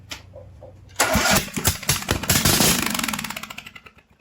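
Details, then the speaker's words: Briggs & Stratton 19.5 HP engine pulled from an old John Deere riding mower, air cleaner off, carb cleaner sprayed into the intake: slow cranking, then a loud burst of firing that sputters out within seconds. Fuel delivery is checked next. "I'm gonna spray some carb cleaner in it. See if it fires over a little."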